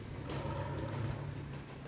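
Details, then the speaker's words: Honda Scoopy scooter after replacing the faulty clutch shoes that made the rear wheel spin at idle: low even putter at idle with no drag or whirr; running normally. "ketika diputar rodanya ke belakang ini pun ringan ya guys, dan suaranya halus."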